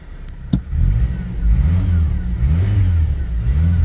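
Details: GMC Sonoma at 209,000 miles after replacing a bad lower pulley, previously blamed on water pump or clutch fan. Engine climbs and drops through a few smooth revs with no squeal or chirp; belt drive now sounds like new.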